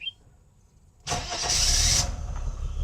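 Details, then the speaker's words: Mercedes W126 300SEL, about 130,000 km, good compression, cold start at 40 degrees after fuel distributor rebuild and fuel pump, filter and accumulator replacement: catches at once with brief flare, settles to smooth even idle around 800 rpm; healthy cold start. "这一点就着了，转速目前看到是800多。看冷车提速也OK。引擎运转非常顺畅。"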